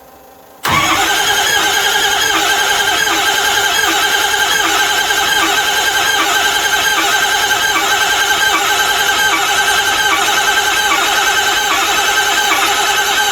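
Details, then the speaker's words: Ford 6.0 Powerstroke diesel, ZF6, sat nearly a decade, glow plugs cycled: it bursts to life with a loud, ragged, uneven clatter and heavy tailpipe smoke; a hard start firing on only some cylinders, fuel pump sounds poor. "off all right that's a good sign it's firing on some cylinders"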